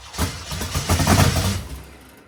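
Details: 1972 Dodge Charger Rallye with a Gen 3 Hemi, first start attempt after rewiring: uneven cranking bursts with a few catches that flare and die after about two seconds. It tries to fire but won't run. Cause suspected, not confirmed.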